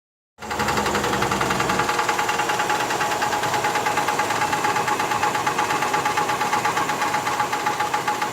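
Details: 1985 Cadillac Fleetwood Brougham V8 at idle with quick, evenly spaced knocking taps from inside the engine; engine knock, cause not yet found.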